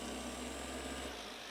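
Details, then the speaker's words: New Hueborly 5.0 random orbital sander on slow speed: steady, even low whir with no rattle or chatter, quieter and less vibration than the old sander; runs normally. "it's so much quieter and I mean the vibration is less"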